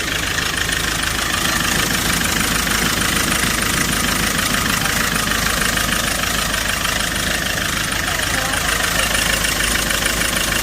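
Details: Hyundai Porter 2 diesel idling with a rough, steady knock about twice a second, with engine vibration, white smoke and blow-by, from a leaking fuel injector washer.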